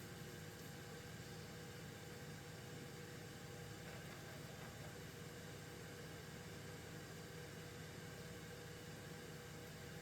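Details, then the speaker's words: Old AMD Athlon PC installing Debian 12 from CD-ROM, during disc detection: loud, steady whirring drone with faint tones as the drive spins up hard at high speed. "You hear that damn thing spinning up like crazy."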